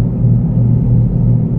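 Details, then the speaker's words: Front-wheel-drive Mitsubishi Outlander while driving: deep, steady growl from the running gear that grows louder with speed. Wheel rumble; suspected unevenly worn tyre or worn wheel bearing, not yet confirmed. "Ini penyakit suara gemuruh. Oke, kalau seperti ini itu antara ban atau bearing ya."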